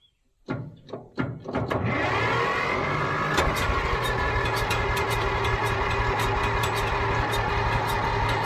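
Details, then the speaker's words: Old Caterpillar D6 dozer diesel on fresh batteries: a few hard turns then long steady cranking that never catches; not getting fuel, fuel shutoff under the machine to be checked. "well all right I am not getting fuel am I I run it long enough that it should have picked up fuel"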